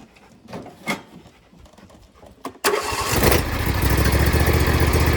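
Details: Husqvarna LGTH 24V54 lawn tractor after re-welding the broken-off exhaust, started before refitting the cab; a few handling clicks, then the engine catches at once and settles into a steady, even beat without rasp, normal running.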